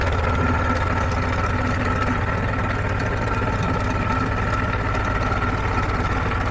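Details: Warm 1947 Farmall H tractor idling smoothly: slow, even low thump around ninety-five beats a minute with a soft steady hum. Running on a temporary fuel can with the tank off, after a new generator belt, radiator hoses and a 6-to-12-volt alternator conversion; oil pressure good.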